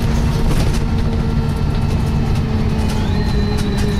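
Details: Arriva Yorkshire Wright Commander bus 1409 (YJ57 BVT) on service 203 from Dewsbury to Leeds: steady bus drone with thin high squeaks and a faint rising squeal over it, source unclear; squeaking noise.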